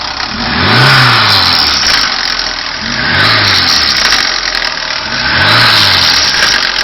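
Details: 2010 VAZ 21214 revved from inside the cabin above 3000 rpm, with a harsh metallic rattle and hiss at the top of each blip; noise stayed after new hydraulic engine mounts, owner suspects the single-row timing chain.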